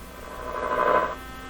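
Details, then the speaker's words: 1957 Chevy Wonderbar tube car radio, first cautious power-up on battery power: a short, harsh mid-pitched buzz swells through the speaker at switch-on, sounding like a vibrator supply though the set has none; cause unknown. "oh my gosh well that sounds like a viper i don't know is that coming out of the speaker oh yeah"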